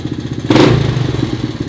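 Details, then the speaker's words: 1984 ATC Big Red after valve adjustment, cam chain tension, timing and fresh spark plug: steady single-cylinder thump with light leftover chain rattle; top end much quieter and even, running normally. "I'm going to throw the CDI cover back on there and I'll fire it up and we'll see if you guys can hear a difference it's much quieter"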